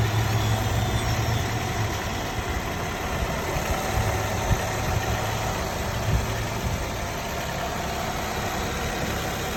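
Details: Nissan Altima 2.5 SV petrol engine, 75K miles, recently bought from a dealership: light irregular rattle and faint steady whine at idle; cause not identified.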